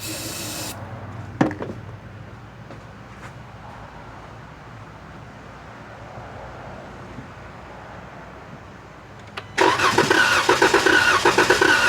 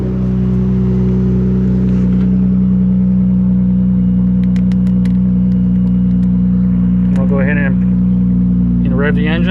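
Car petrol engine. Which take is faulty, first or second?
first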